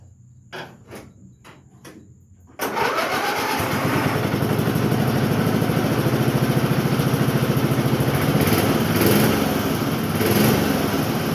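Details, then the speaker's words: Cub Cadet mower single-cylinder engine after new chain, new air filter and oil change; pull-start then lumpy chugging idle about three thumps a second with air cleaner on; idling rich. "But idle little bit different with the air cleaner on. Uh it is idling rich,"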